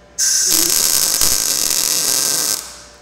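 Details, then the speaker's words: Blue Demon BLUEARC 140MSI 110V MIG inverter tacking: short burst of harsh, uneven crackling arc hiss without smooth sizzle; weld porosity, owner suspects a shielding gas problem. "I kept stacking the weld until gotta let porosity out of it"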